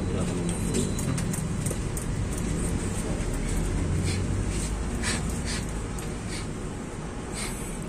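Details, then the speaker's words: Kawasaki Barako 175 single-cylinder motorcycle after the camshaft bearing was replaced to cure a noisy cylinder head: steady idle with an even low thump and no knocking or rattling. "ganyan lang po pagkapalit ng bearing Mga brothers ayan ayan pinalitan natin ingay"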